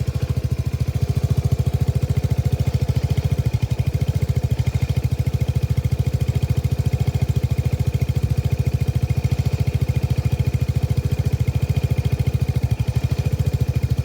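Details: Faulty Lexmoto Nexus 125cc motorcycle, recorded close up: engine idles with a lumpy, uneven beat and occasional stumble, a misfire.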